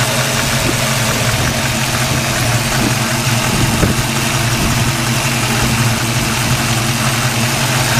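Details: 1995 Mustang Cobra at idle: loose, uneven light knock about three a second under engine drone, suspected bearing but likely the A/C compressor with clutch disengaged; noise seems to disappear when A/C is switched on.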